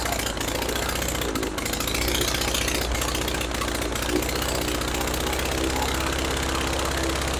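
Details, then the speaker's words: Praga B2 aero engine, last run 1 September 1939, rebuilt and mounted on a Vauxhall test rig with propeller: loud rapid crackling exhaust, harsh open-pipe roar with smoke at full throttle; normal full-throttle running. "Look at all the smoke. That was full throttle."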